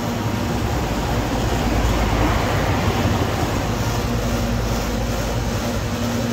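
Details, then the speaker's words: Home air conditioner compressor that would not start, now starting after repair, connected to 24 volts; deep steady hum with even low throb, no clicking or stalling; running normally. "arrancó el compresor que no estaba estaba arrancando y el compresor bueno este vamos a ver ahí se arrancó ya"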